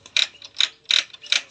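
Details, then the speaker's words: Hero Passion Pro with third gear sticking and a noise from the engine: with the gear dog refitted the noise remains. Sharp metallic clacks about 2.5 per second as the shaft turns by hand, from a broken gear-dog fragment lodged at the kick-start gear. "यानी कि हमने gear dog को लगाया और यह आवाज यानी कि अभी तक नहीं गया है"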